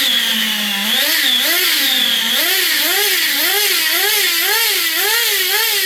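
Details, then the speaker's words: XTM Baja Outlaw RC truck small engine hunting, revs rising and falling about twice a second; the idle gap was opened because the engine loses pinch when hot. Surging idle; carburettor needs tuning. "So I had to open up the idle gap. I mean, you could tell the engine once it gets hot, she loses pinch."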